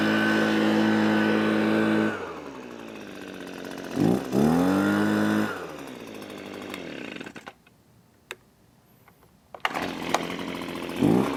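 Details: Echo PB255-LN two-stroke leaf blower after no-start repair with carburetor replaced and coil gap set: revs up crisply, steady buzzing run, drops to idle and picks up cleanly again; runs normally.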